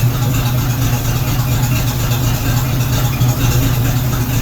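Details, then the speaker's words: 1976 AMC Gremlin, stored 36 years, first run on pump gas: deep, even idle with no misses, knocks or ticks, sounding quieter than before and with no smoke; normal idle. "It sounds quieter now, actually. I realize I'm not shouting as loud."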